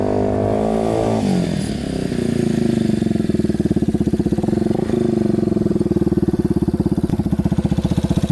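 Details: Yamaha Warrior 350 quad single after carb cleaning, test ride: pulls cleanly with even rapid thump, no popping or backfire, good power; normal running under load.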